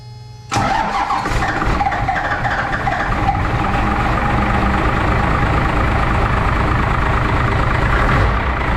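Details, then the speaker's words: First-gen 5.9L 12-valve Cummins diesel just after injector install, lines tightened and bled: fires up then uneven, lumpy clatter with irregular beats instead of steady idle; rough running, likely air still in the fuel lines. "still kind of sounds like crap so we're gonna go ahead and see if we can bleed them again real quick all right so there's probably still a little bit of air in the line"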